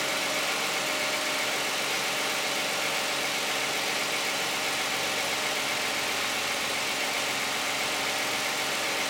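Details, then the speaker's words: Cold start of a 2010 Toyota Camry 3.5 V6 with 93,000 miles on Pennzoil Ultra 5W-30 synthetic and a Wix filter: steady, fairly quiet idle with a fine, even ticking and hiss, no knocks or speed swings, healthy warm-up. "I think it sounds pretty quiet. It'll be interesting to hear how the video sounds."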